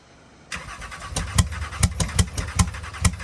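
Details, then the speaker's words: Flood-damaged Porsche 911 Turbo, second start attempt on fresh fuel after water-contaminated fuel, no engine teardown, fuel not yet primed; heavy uneven stumbling thumps, firing on one cylinder per bank only. Cause not confirmed. "ah bank two is trying interesting one of the cylinders on bank two is firing up we got both sides going on one cylinder each"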